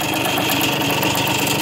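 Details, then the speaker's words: 1981 machine being sold for restoration, known small-end bearing issue, runs and shifts, warmed up; busy metallic rattle louder when warm, with a sharp spitting puff each beat from a leaking exhaust; rattle and exhaust leak. "it's warmed up you can hear the rattling a little bit more the exhaust is leaking there"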